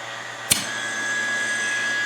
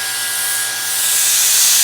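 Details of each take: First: Land Rover Defender 110 300Tdi cyclone separator just taken off the car, bench-tested with a vacuum pump: steady hiss with a few sharp clicks as the diaphragm moves; diaphragm working normally. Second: Land Rover Defender 110 300Tdi cyclone separator bench-tested with A/C vacuum pump via silicone hose: constant sharp hiss as air is drawn through a small hole at the back, won't hold vacuum; vacuum leak, part no good.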